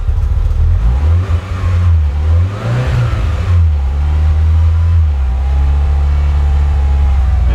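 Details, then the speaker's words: Mitsubishi EVO first real startup, no check engine light: after a blip revs hang high and drop back slowly, then creep up to about 1,500 rpm with foot off the gas; hunting idle that won't settle, cause unknown. "So yeah, seems to be a problem with the idle. Goes back up again. So idling at 1,500 RPM, going up."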